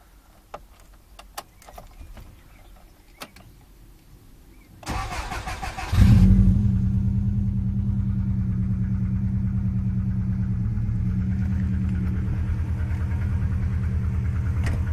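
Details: Petrol engine after a short crank catching and settling into low idle with a faint, rapid hollow knock; suspected piston slap, not confirmed.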